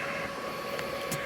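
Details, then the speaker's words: HP Z440 with EVGA RTX 2070 Super (overclocked) whose failed blower fan was replaced by a zip-tied 92 mm Delta 4800 rpm 1 A brushless 12 V fan; loud, steady rushing air with a thin constant whine, no rattle or grind; normal high-speed fan. "Wow, she's loud. Well, you can hear that thing. The other fans haven't even spun up yet."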